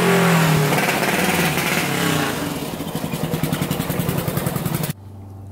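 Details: 1999 Honda 400EX turbocharged quad with main jet changed to a 170: loud rev fades into rough, uneven chuffing about three to four beats a second before cutting out; bogging under boost, jet change made zero difference; later traced to the boost-referenced float bowl line backing up fuel.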